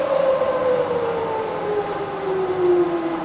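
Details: Fully rebuilt Bridgeport milling machine (42" table, new bearings and gears) under power: smooth, even whine drifting lower in pitch as spindle speed is wound down, no knock or grind; healthy head, normal variable speed operation.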